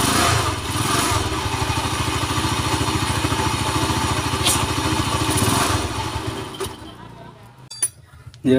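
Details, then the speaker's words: Honda GL motorcycle brought in for a very rough engine sound, noise located in the middle of the engine rather than the cam chain: coarse uneven rumble with a rapid knock under idle, dying away at shutdown; connecting rod big-end bearing wear. "jadi seperti itu suara motor ini sangat-sangat kasar sekali bagian tengahnya"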